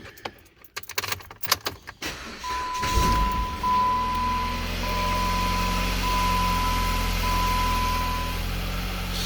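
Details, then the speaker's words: 2011 Jeep Compass Latitude 4x4 2.4L automatic after repairing a burned wire at the auto shut down (ASD) relay that caused crank-no-start; battery a little low, engine catches quickly into a smooth even idle, no check engine light, normal start. "But no check engine light, and it starts up on its own power."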